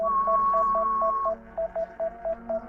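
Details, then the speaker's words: DJI Mini 5 Pro controller during a waypoint mission at 0 degrees, drone hovering and refusing to land on return: steady high tone then short even beeps about four a second, nonstop; continuous warning of unknown cause. "I don't know why it's still beeping. Okay. There we go. We stopped it from beeping. We can come in. Oh, we're beeping again."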